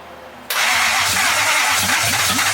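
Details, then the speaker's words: Nissan 240SX S14 with a 1UZ V8 swap: rhythmic cranking chug under a loud hiss, but it never starts. Fuel is leaking and may not be getting enough fuel; cause suspected. "oh my God RI I don't know if it's getting enough fuel though because it's leaking oh it's still leaking"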